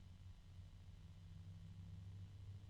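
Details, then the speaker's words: Phobya G-Silent 14 140 mm 1400 RPM PC fan turned up higher: quiet, steady deep hum at one pitch with more harmonic resonances; very noisy fan, noises in three widely separated octaves, bearings suspected. "this is a really noisy fan I'm actually hearing noises in three different octaves that are very very far apart from each other"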